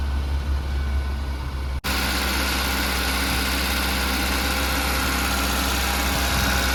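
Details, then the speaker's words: 2008 Maruti WagonR, 320,000 km, company-fitted LPG, no engine warning lamp: steady, fast-running idle with even hum and no hunting; RPM races high from startup, persisting even with ISC valve coupler unplugged; high idle. "ആ WagonR സ്റ്റാർട്ടിങ്ങിൽ തന്നെ ഭയങ്കര rising ആവുകയാണ് കേട്ടോ RPM വല്ലാതെ കൂടുകയാണ്"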